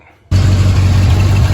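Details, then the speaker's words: 1971 Chevy C20 V8 after tightening a loose exhaust connection that was leaking, light smoke from penetrating oil: deep, fairly even idle with no ticking or puffing from the exhaust; normal idle. "oh got it sealed back up and now it's running sounding a lot cleaner and a lot better this smoke just from the penetrating oil"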